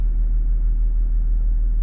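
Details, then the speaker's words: Range Rover L322 air suspension with an 'Air Susp Inactive' fault being diagnosed; raising the car, the compressor runs with a steady, even low hum and faint regular pulse, reaching height in about 5 seconds; works normally. "Let's go back up. Air compressors come on. Car is rising."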